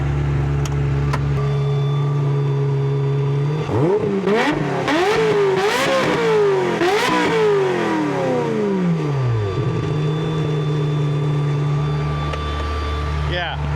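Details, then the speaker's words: Ferrari 355 with Capristo exhaust, idling to heat-soak after runway high-speed passes had caused loud noises: sharp throttle blips rise and fall cleanly before settling to a smooth, even idle, heard close to the exhaust. Normal, healthy engine revving. "I have to say that's the first time I've been one foot from the exhaust when it's making that noise. >> It's pleasant."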